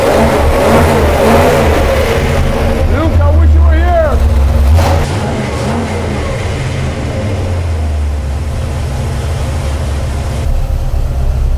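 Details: Freshly built Mopar 383 V8 for a '68 Dodge D200 on the dyno stand, timing at 34 degrees: deep, even lope, one clean rev blip rising and falling smoothly, then settling; sounds healthy.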